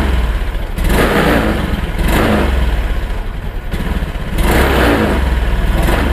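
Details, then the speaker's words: Honda Beat Pop scooter: engine sputters and bogs with delay on each throttle blip, then dies. "permasalahan motor beat pop ini brebet ya teman-teman apalagi saat dihidupkan di gas itu dia delay jadi seperti ini"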